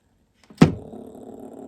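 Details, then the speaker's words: Pioneer RXM-047 take-up reel motor from a CT-F900 cassette deck, before service, bench-run at 7.1 V from a DC-DC converter. Click at switch-on, then a steady, slightly rough, noisy buzz. Good torque and no dead spots, but dry bearings need lubrication. "you can kind of hear it now it's a little noisy it's got good torque we're running at 7.1 volts right now it does not appear to have any dead spots but it clearly needs lubrication"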